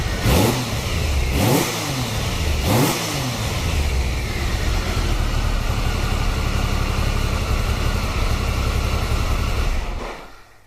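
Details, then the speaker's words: 1993 Triumph Trophy 3 900cc triple, 23 years old, started after a new upgraded sprag (starter) clutch was fitted along with a new oil filter, air filter and fresh oil. The starter turns, the triple catches cleanly and settles into a steady idle with no clunk on engagement. Normal start and idle. "as you can hear you now we start it might be twenty three year old but it still goes like off the stick perfect"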